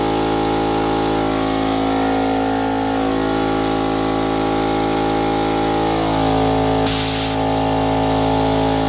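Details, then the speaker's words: Campbell Hausfeld HL431500 air compressor after replacing piston, rings, connecting rod, air filter and valve plate (previously only built about 20 PSI): loud, even pump drone, steady pitch, short air hiss midway; now builds past 25 PSI, running smoothly. "alright guys so as you can see the compressors running pretty friggin loud but problem-solve is now getting past the 25"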